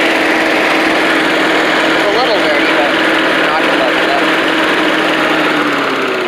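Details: Old Rover Turbothrust mower built in Brisbane, Australia, just started on a second try, its 12-volt generator working: a loud, steady whooshing drone with an even mid-pitched hum, easing off at the end. Normal running.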